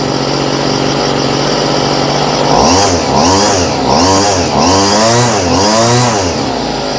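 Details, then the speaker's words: Homelite string trimmer with a new aftermarket Chinese carburetor whose idle screw doesn't reach the throttle arm. Small two-stroke sags and surges roughly every second, unevenly; idle too low. "So we'll push out on that arm and see if we can get the idle."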